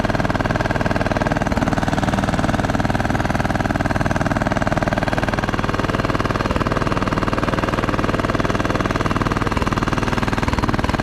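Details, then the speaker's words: Craftsman T1200 riding mower, single-cylinder engine with uneven thumping about twice a second over drone; compression seems very high, hard on starter; owner suspects valves, rough running cause unconfirmed. "it just seems crazy that it has that much compression it's got to be hard on that starter"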